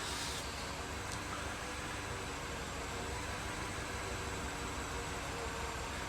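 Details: 2009 Mini 1.6 after cleaning a Vanos solenoid blocked by metal filings: steady, even idle with no hunting or surging. It previously hunted and tried to cut out once the auto choke went off; the fault code hasn't returned and it runs much better.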